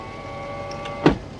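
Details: Daihatsu Atrai 7 (Extol/Hijet-based JDM mini-MPV) power window: a steady electric motor hum with a short thump near the end. The window motor runs normally, though the window switch pack is falling out of the door.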